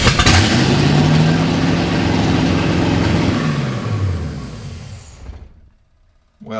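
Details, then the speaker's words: 1955 Chevy V8 stored 20 years, run after fixing the ignition switch cranking wiring: roars at a very fast steady speed far above normal idle, then winds down and dies after about five seconds. Very high idle; owner suspects many vacuum leaks. "you may have noticed the approximately 9000 rpm idle pretty sure that's because of vacuum leaks because there's like 200 of them"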